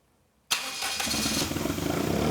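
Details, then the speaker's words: Daihatsu Mira starting on its own fuel after injectors were tapped to free them and fuel pressure confirmed on a gauge: it catches in half a second and settles into a loud, rough open straight-pipe idle with no stumbling; starts and runs fine. "it's so quiet straight pipe unreal mad it works"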